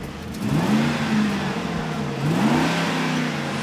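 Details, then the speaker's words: 2004 Ford F-150 work truck, parked months after running rough, after new spark plugs, coils and O2 sensors: revs rise smoothly on each blip and drop back cleanly with no misfire; healthy. "she's a racehorse better now jabya LT sounds wonderful man"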